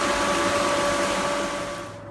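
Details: Newly replaced pool pump, after the old one went bang, on a sand-filter system just after start-up: steady motor hum with a high even whine over rushing water, a little air still purging from the system; running normally.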